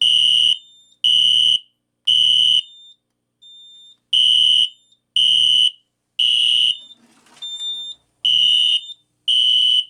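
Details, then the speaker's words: System Sensor P2475 SpectrAlert Classic horn strobe on a Kidde FX panel, tripped by a Simplex pull station: harsh, raspy half-second bursts; the first buzz is higher and the tone drops lower in the code-three sequence, cause unknown. "When it sounds a whole lot crappier in FWR because when it when it did that first buzz, the the first buzz like was like higher pitched and then when it went went into the code three sequence, it went it went in to lower pitch."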